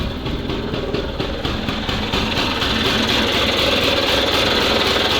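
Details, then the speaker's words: SMZ invalid carriage two-stroke (motorized microcar) after long storage: steady, even beat about four pulses a second, no knocks or misfires; clean healthy idle, piston and rings likely fine. "вот ну мотор работает чётко Возможно там всё нормально С поршневой и поэтому никаких проблем у нас не возникнет"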